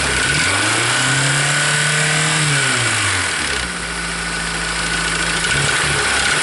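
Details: 2003 Honda S2000, over 100k miles, misfire in all four cylinders, idle and revving: light clacking knock from the forward cylinder keeping its own pace as revs rise and fall; rod bearing knock.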